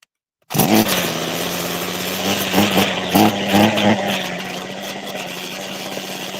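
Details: Small two-stroke trimmer engine that is hard to start cold, restarted with the choke off: it settles into a steady, buzzy fast idle that stays high and never drops to a slow putter, and cuts off if the idle screw is turned down further.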